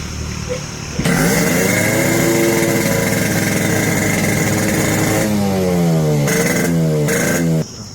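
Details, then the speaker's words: Yamaha RX100 with a carburetor problem, cables already checked OK by another mechanic: it fires up and stays racing at a high, steady rev with a few blips, never dropping to idle. High idle, cause unconfirmed. "गाडी चालू केली, गाडी race राहते."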